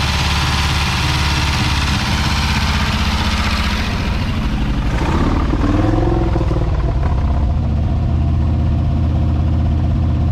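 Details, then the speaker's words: 1968 Ford F100 Ranger revived after years sitting, smoking from the products put in: rough, uneven running that sags, loosens and dies as it runs out of gas, before a fuel supply is hooked up. Stalling from fuel starvation. "And all that, is it idling? She run out of gas."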